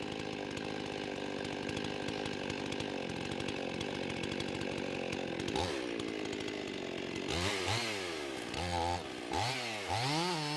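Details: Husqvarna 55 chainsaw after repair of the carburetor gasket air leak, warm, about 13,000 rpm, cutting wood: it screams at a steady high rev, pulls down evenly in the cut and recovers cleanly, with no bogging or surging.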